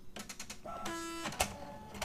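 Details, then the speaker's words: Canon Pixma iP90 printer at power-on: rapid ratcheting clicks, strained motor whine and a sharp snap as the main shaft and roller fail to turn and it errors (4 blinks); a broken main motor gear, a common iP90 fault. "as expected you can see we have a big problem with the motion of the main shaft so this is a simple well pretty simple repair and it's a very common problem of the IP 90 printers"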